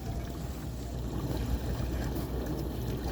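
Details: KitchenAid KDTE104DSS0 dishwasher after replacing upper rack tracks and main motor/diverter assembly (old diverter leaked), quick rinse leak test: steady low watery swish and hum with even spray, no grinding or rattling; no leaks, working normally.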